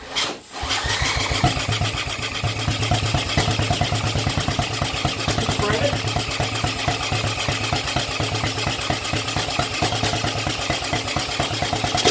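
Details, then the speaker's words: Old 1980s Honda ATC200 three-wheeler, parked for years, after no-crank electrical diagnosis with a test light: the single fires after a brief crank and settles into a fast, steady popping beat; the engine is running. "Yay! She runs!"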